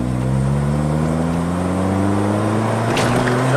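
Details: Modified 2011 Kia Forte, test drive at full throttle (complaint: misfire and limp mode with P0336 crank sensor code above 4,000 rpm under boost; junk aftermarket part blamed): engine note climbs smoothly and steadily, no stumble or misfire, pulls cleanly.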